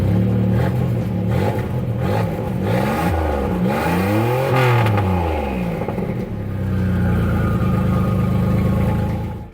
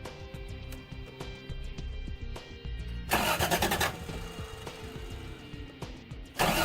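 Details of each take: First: Turbocharged Toyota 3VZ-E running after the fuel pump was rewired from the battery via a toggle switch: fires, revs up and down smoothly, settles to an even idle without misses or clatter; runs fine. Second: Turbocharged Toyota 3VZ-E, cranking in short bursts but never catching; fuel pump not priming, no power reaching it though it worked before; pump itself believed fine, owner plans a jumper wire from the battery to the pump.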